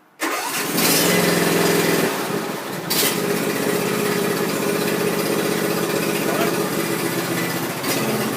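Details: John Deere Z375R ZTrak zero-turn mower, started just after a fuel filter change to check for leaks: engine cranks and catches at once, then settles into a steady even idle with no misses; running normally.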